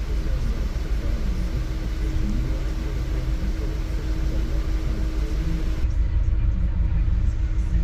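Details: Engine misfiring at idle: low, uneven rumble with a loping beat around three per second; no cause identified.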